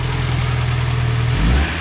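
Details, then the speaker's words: Freshly built budget race engine, top end rebuilt, in car, with fresh fuel, cooling system still being bled of air bubbles: a deep, even note swells on a throttle blip and settles back, no ticking or knocking; healthy revving. "it's all the little nooks and crannies I wanna make sure all the air gets out of there but rums sounds good too"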